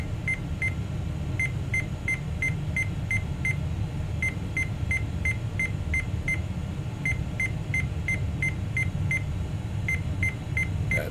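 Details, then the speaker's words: Tower PC with Intel i486 DX2 and American Megatrends BIOS, booted with turbo engaged; short, sharp, high beeps repeat steadily over a low fan hum: AMI seven-beep POST error. "seven beeps"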